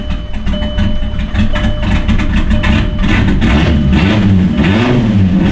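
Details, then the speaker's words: Turbo VR6 GTI on braided E85 fuel lines: the idle sags and surges every second or so and won't hold on its own. Crank and cam position sensors are being replaced in hopes of fixing it. "we'll get that swapped over and get back and hopefully this starts to solve something because the car doesn't want to stay idling on its own"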